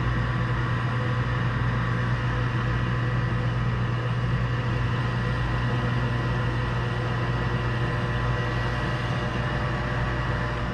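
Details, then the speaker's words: York furnace after pressure switch repair, fired up from the thermostat. Steady low hum and even burner roar with no banging, rattling or cycling. Lit and running normally. "Noisy bugger. It's like the same furnace I got in my house, which is getting ready to get changed to a Carrier Infinity. And we're lit."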